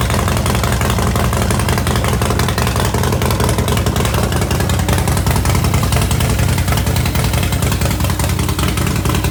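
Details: 2016 Harley-Davidson Dyna Wide Glide idling after Arlen Ness oil pressure gauge and sender install: deep, steady loping V-twin idle with even low thump, no misses or knocks; healthy, no leaks.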